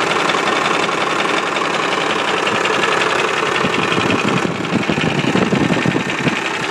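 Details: Cummins 12-valve diesel idling with an uneven rattly knock about three per second over steady clatter; owner suspects the injection pump, origin unconfirmed.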